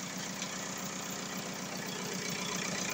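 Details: VW Golf 4 diesel after a crank-no-start repair (scan showed injection pump faults: low cyclic delivery, open circuit); now a quiet, regular idle clatter at steady speed with no stumbling, charging at 14.4 V, engine healthy.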